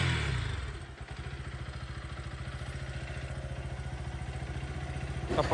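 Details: Bajaj Pulsar NS160 BS6, battery still low, after refitting the detached throttle body hose whose air leak caused popping and no-start: quick even beats, steady low thrum, no misses or popping; normal idle.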